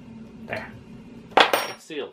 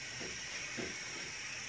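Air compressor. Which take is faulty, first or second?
second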